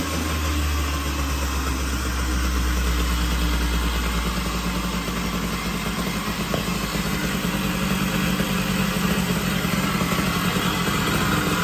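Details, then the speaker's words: 1980 Puch Murray moped with a Tomos A35 top end, Mikuni VM18 carb and custom Estoril pipe, just after its first start at -7 degrees with the engine super cold: low two-stroke rumble with an uneven beat about three per second; untuned and still warming up. "And the engine is super cold. It's currently -7 degrees outside, so it's probably gonna take a little while to warm up."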